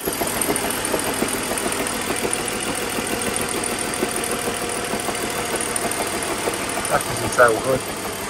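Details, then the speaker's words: BMW Z4 3.0 salvage car, just delivered: uneven, lumpy idle with an irregular stumble about three times a second. It is a misfire, cause not confirmed. "seems to have a misfire which isn't good let's go back a bit of a misfire"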